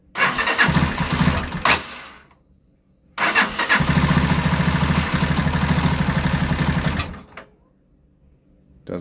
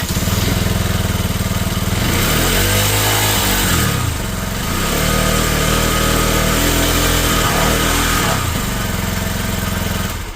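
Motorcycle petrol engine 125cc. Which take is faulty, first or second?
first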